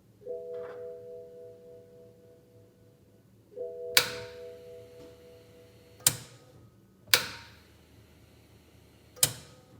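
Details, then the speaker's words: 2009 BMW Z4 35i with a charged battery: after a dash chime, push start gives only four loud single clicks a second or two apart from beneath the rear intake runners, no cranking; failed starter motor/solenoid. "okay so you probably would have just been able to hear a click a click a click it's actually a pretty loud distinct click you can hear it in the cabin of the car you push the button and the only thing that happens is a click"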